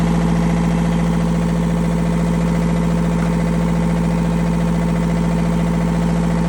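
Even, steady diesel thrum with a constant low hum and no knocks or misses, so this engine idles healthily.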